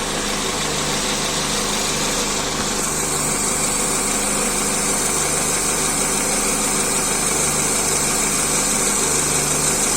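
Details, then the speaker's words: Idling engine with a dry, crackling clatter from the rocker arms starved of oil; the noise disappears when oil is added. "voici le bruit des craquements des culbuteurs vous allez maintenant voir quand je mets de l'huile et là le sens disparaît"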